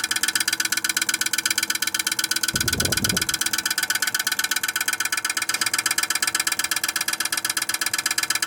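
A hard, rapid, very regular knocking with a rattling buzz over the fan run; the outdoor unit is iced up and striking.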